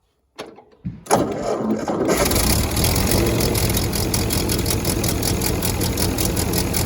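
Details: Ford 8N tractor on a test run after replacing the exhaust manifold gasket: the engine catches after a few tries and settles into an even, steady run with none of the earlier "crack, crack" from the manifold; great oil pressure even at temperature.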